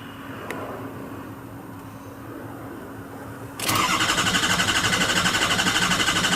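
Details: 2003 Ford F250 Super Duty 6.0L Powerstroke diesel after oil cooler replacement and EGR welded shut: starter cranks steadily at about four beats a second, never catches; FICM sync 0 key-on, logic/vehicle power 10.5 V cranking, ICP 147 psi. Crank, no start.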